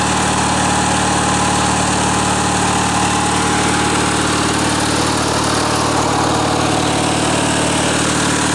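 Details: Riding mower with a small engine and recurring carburetor issues, run after Seafoam was added to a half-full tank of possibly water-contaminated fuel stored outside: steady speed, slightly uneven beat; fuel or carburetor problem suspected, cause unconfirmed.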